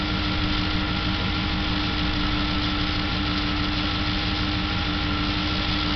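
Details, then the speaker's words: V8 at idle heard through a stethoscope, with a strange faint irregular tapping over the steady rumble, located under the right rear corner of the engine; engine knock at idle, cause not confirmed. "звук очень странный j он под правого заднего угла двигателя вот сюда"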